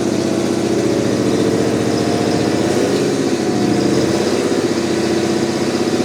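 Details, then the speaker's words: Terex 82-20 bulldozer diesel, restarted after sitting 30 years: strong, even drone with a steady firing beat and no misses or knocks; engine sounds healthy. "Whoa. Look at that. Boy, that engine sounds good."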